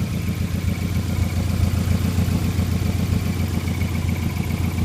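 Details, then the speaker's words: 1999 Subaru Forester with 2002 WRX 2.0 turbo engine swap, cats removed and stock cat-back with muffler deleted: a deep, even idle burble with steady low pulses. No drone; healthy. "I just deleted the muffler and it actually sounds pretty good so [Music] there's nothing there and it's it's not droney at all I mean in fact you can barely hear it when you're on the highway"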